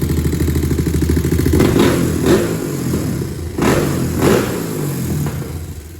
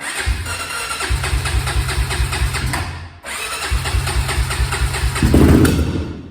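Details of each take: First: 2001 Honda TRX400 single-cylinder after valve adjustment: steady idle thump, clean pickup on a couple of blips, settles back; sounds strong and healthy. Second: 2001 Honda TRX400 on choke at cold start: uneven, stumbling beat with brief near-stall, rough running and heavy smoke; previous mechanic didn't fix it, Chinese aftermarket carburetor fitted, cause suspected, not confirmed.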